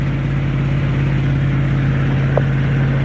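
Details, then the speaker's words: Beater truck run completely straight-piped because the exhaust had rotted off: loud, steady low drone with an even pulse and a raw exhaust note, settling smoothly with no knocks. Normal running. "But it runs good. No, it just sounds like that because it's like completely straight piped. The exhaust was all rotten off of it, and we didn't put no exhaust on it."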